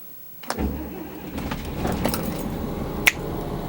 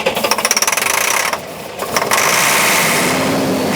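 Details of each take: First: 1999 Beaver diesel motorhome stored three to five years: key click, very brief crank, engine catches at once into a quiet steady idle; battery still good, healthy quick start. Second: 1999 Beaver diesel motorhome, stored 3–5 years, cranked on starting fluid with fresh fuel: quick uneven chuffing for about a second then fades to hiss; RPM doesn't rise, owner suspects the ECM isn't seeing engine rotation; cranks but won't keep running.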